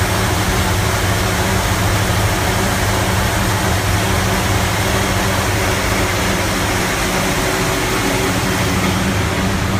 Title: 55 running very rough idle